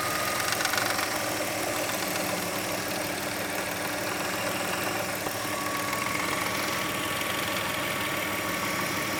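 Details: 2003 Hyundai Tiburon petrol engine idling: light, uneven metallic rattle at the timing belt end that comes and goes; owner suspects tensioner or belt, not confirmed.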